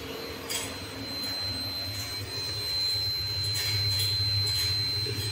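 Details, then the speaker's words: Bosch refrigerator not cooling: steady high-pitched electronic buzzer tone over faint hum continues even with door closed and switch held; buzzer fault keeps fan from running, causing cooling problem. "ये देखिए दोस्तों, हमने इसको पकड़ के भी रखा है, फिर भी इसका साउंड नहीं जा रहा है।"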